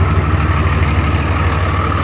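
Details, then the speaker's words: 2004 Ram diesel truck, 5-inch Sinister diesel exhaust with resonator, worn throwout bearing: deep, steady low rumble with an even firing beat, no knocking or ticking; healthy, quiet normal idle. "5-inch Sinister diesel exhaust with a resonator. So at idle, the truck is quiet, but when you put your foot into it or you're pulling a hill or whatever, it sounds good."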